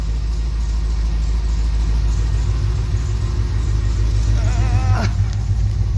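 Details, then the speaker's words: Plymouth Cuda hemi V8, heat-seized from overheating, started after 10-15 years in storage: rough rattly revving over a deep rumble, blue smoke when revved; knock has quieted, oil pressure good. "but now we have have a little bit of blue smoke coming out when we rev It Up out that [Music] hole so yeah she got bad"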